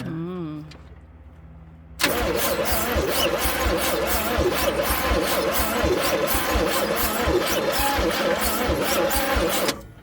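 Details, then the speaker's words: Old Chevrolet C10 being revived, in humid weather: slow, hard cranking with no start. The starter wire is getting hot; a bad ground, loose battery cables, or a weak battery are suspected. "So it is cranking a little bit hard, but and not sounding like we're firing too much."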